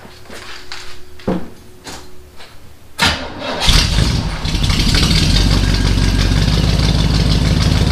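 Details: 1977 Chevy C10 pickup, first start with a new complete exhaust kit and glasspack mufflers: a few seconds of cranking, then it catches and settles into a loud, deep, even burble. Normal idle through glasspacks.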